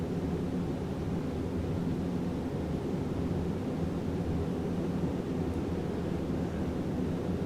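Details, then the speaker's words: 1991 Hunter Summer Breeze ceiling fan on high: a steady, even airy whoosh with no ticking, rubbing or growl. It is a good performer and the bearings are still good. "pretty good performer still got good bearings in it"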